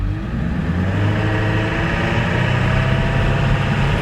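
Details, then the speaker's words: 1999 Ford F350 7.3L PowerStroke turbo diesel, driving on the road: deep, steady diesel rumble with no knocks or misses over road noise; engine sounds healthy despite pulsing brakes and whining power steering. "oh but that engine sounds good [Music] [Music] oh that sounds nice gotta love the sound of a diesel"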